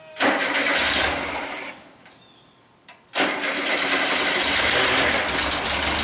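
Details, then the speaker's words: 1974 Super Beetle rebuilt engine, first start after reinstall: catches with a sharp roar, dies after a second, then fires again with a cough and stalls; fuel likely not yet through the system. "there it is it's alive and it's dead it might take a little bit to get the fuel through the system"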